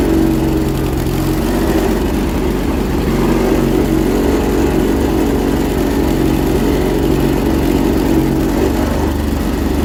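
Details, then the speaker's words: 1980s John Deere 317 garden tractor with tiller fitted, battery had gone dead earlier: loud, steady drone with an uneven, lumpy beat underneath; running rough, sounds like it's firing on only one cylinder. "sounds like it's running on one cylinder"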